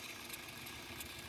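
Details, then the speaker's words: Maruti Swift Dzire diesel at idle: a dry, hissy chatter over the low engine hum, with the battery light on and no charging; the alternator pulley clutch has failed, and the fix is a new pulley. "So ಇದರಲ್ಲಿ ಏನಾಗಿದೆ ಅಂದ್ರೆ alternator pulley ಹೋಗಿತ್ತು ಈಗ ಒಂತರ noise ಬರ್ತಾ ಇದೆ clean ಆಗಿ observe ಮಾಡಿ"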